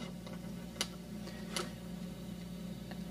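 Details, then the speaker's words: Electric guitar volume thumb wheel after the wires were moved away from its knurled edge. Their rubbing had caused triboelectric noise mimicking a scratchy pot. Now only a steady amp hum and faint clicks, no crackle when turned. "And now it's completely quiet."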